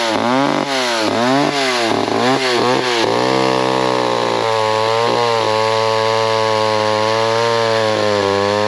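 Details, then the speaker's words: McCulloch 10-10 or Pro Mac 55 chainsaw cutting: high two-stroke buzz surging up and down in pitch, running off-tune, mixture suspected to need adjustment. "looks like it needs a little adjustment sounds like let me uh play with a little bit and we'll make another few cuts"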